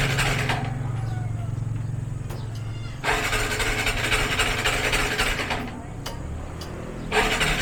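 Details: Motorcycle hard starting: starter cranks in repeated bursts and the engine catches unevenly, stumbling between tries; owner suspects a dirty carburetor again, not confirmed.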